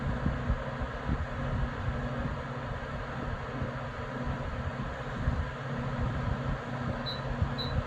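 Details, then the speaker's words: Comfort Zone CZ230ER 7500 W garage heater with its thermostat turned down so the element is off: smooth steady fan whoosh with a low even hum and no rattles or ticking as the fan runs on to cool the element. "the heating element is definitely off i think you just needed to fan on to get the heating element down so that way you know it doesn't stay warm and doesn't create a you know risk of a fire or anything like that"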